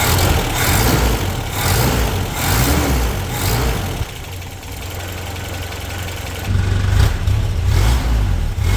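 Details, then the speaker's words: 1985 Toyota pickup 22R four-cylinder, sat over 10 years, idling with a couple of revs after exhaust manifold leak fix with new bolts and washers: steady idle, no ticking or puffing; doesn't sound like it's leaking, exhaust very quiet from the rear. "all right I think that fixed it and it doesn't sound like it's leaking it's not nearly as loud if it is uh exhaust sounds very quiet as well from the rear"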